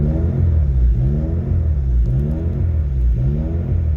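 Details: Car tuned with KPro/S300 software: idle rises and falls in a slow cycle about once a second, deep rumble swelling and fading; unstable surging idle, owner suggests software glitches may be involved.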